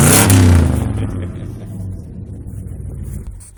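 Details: 1965 Ford F100 with a different 390 V8 installed, exhaust leak fixed, some carb problems remain: loud rev dies back to low even burble, no ticking or puffing from manifolds; normal idle and rev, runs smoother.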